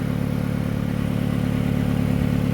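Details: 2005 Hyundai Accent after a broken exhaust flex pipe was repaired: steady idle with a fast, even puffing pulse in the exhaust note from a leak further downstream of the flex joint; exact location not confirmed.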